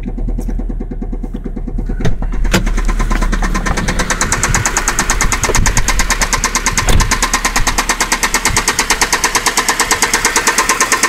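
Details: 2003 Saab 9-5 petrol engine, oil found about 1.5 quarts low then topped up: starts and idles with a steady sharp knock about three beats per second.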